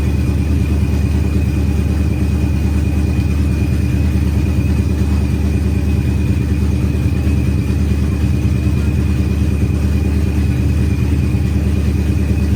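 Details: Procharged Ford Coyote V8 at its first start after a rebuild, with good oil pressure and fuel pressure confirmed. Deep, even V8 burble at a steady warm-up idle with a faint blower whine and no knocks or misses. Healthy idle.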